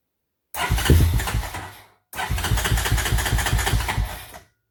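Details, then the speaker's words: 1993 Honda TRX 300EX single-cylinder with size 40 idle jet replacing 38, air box removed: fires ragged about a second, dies, catches briefly and cuts out, won't hold idle; cause not yet found. "bumped up the idle more than I should have to something still not right"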